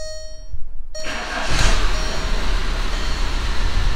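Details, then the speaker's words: VW 1.9 TDI diesel, cold start after correcting fuel pump timing and top dead center: chime, short crank, fires immediately and settles into steady, even diesel clatter at idle; healthy cold start. "it's cold but as you can hear it right now it just sounds like you know it sounds like a CD a TDI but yeah starts right up with the key immediately since I corrected the timing"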